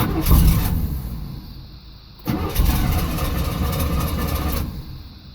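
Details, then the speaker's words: 1989 Camaro IROC-Z, hard start after sitting: long cranking before it catches, then revs surge and sag unevenly; owner suspects fuel pressure bleeding off, no pressure at the rail purge valve; fuel pump audibly priming. "so what I think it is is a down here press the button to purge it there's no pressure in there right now"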